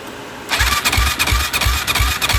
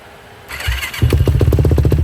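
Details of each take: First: Yamaha YFZ450, suspected blown head gasket with coolant bubbles and smoke while cranking; dry compression test at full throttle: steady cranking about three pulses a second, soft even compression beats, no catch; only about 20 PSI, far too low. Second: 2007 Yamaha YFZ450, carbureted, sat a few months, cold start after a couple of accelerator-pump shots: quiet, then starter, then the single fires and settles into a quick, even thump; normal cold start.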